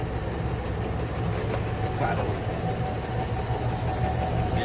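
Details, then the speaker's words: Car with a very strong suspension knock checked on a shaker machine: a heavy, rapid knocking rattle over a low rumble. No play was found on the lift, and the noise was traced to the stabilizer link. "Eh, esse carro tá com uma bateção muito forte da suspensão."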